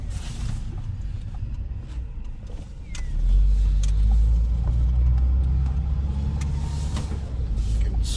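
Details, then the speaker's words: Toyota Tarago/Previa/Estima at 280,000 km, test drive after oil, filter and tyre service: quiet low engine hum swelling smoothly under acceleration, no flare, clunk or whine; transmission shifts smoothly, engine quiet. "Transmission still shifts really smooth. No problems with the transmission. The engine's really quiet."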